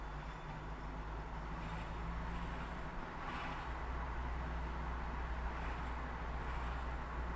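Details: 2015 Mazda MX-5 ND: whining noise that rises and falls in pitch with road speed, most distinct when passing parked cars on the left; steady road rumble with faint drivetrain whine underneath, cause unknown.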